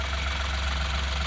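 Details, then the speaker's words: Ashok Leyland Bada Dost LS diesel after carbon cleaning and injector washer replacement, no warning lights: steady, even idle with a smooth low drone and no knocking or ticking. Normal idle; noise and rpm now fine. "நல்லா ரேசா இருக்கு. RB நல்லா engine நாய்ஸ்ும் நல்லா இருக்கு. RPM எல்லாம் பக்காவா ஃபுல்லா வேலை செய்யுது."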